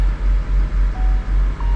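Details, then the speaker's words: Truck camper diesel first start after a fuel-system repair where air got into the lines: deep idle that lurches and dips unevenly several times a second; runs rough from trapped air, PTO switch used to raise idle, later stalls. "I don't know how much air we introduced to the lines. We might get a stall. It's a little bit"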